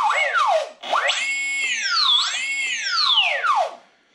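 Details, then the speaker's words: Electric RC trainer plane during setup, testing ESC throttle calibration with transmitter: clean motor whine climbs and falls smoothly with throttle, picking up early with no stutter; ESC well calibrated, healthy motor spin-up. "um that's pretty well calibrated so i'll probably leave that to be honest but if you sort of got quite far up before the motor kicked in then um you want to calibrate it"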